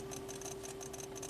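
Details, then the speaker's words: 1993 Cadillac Allante after a test drive: inside the cabin, a relay chatters nonstop with fast sharp ticking about six times a second over a faint hum. The display dims intermittently, with no warning lights; cause not yet found. "what the heck is that I don't see anything weird up here no warning lights but that's a little concerning that relay a relay in there is going nuts"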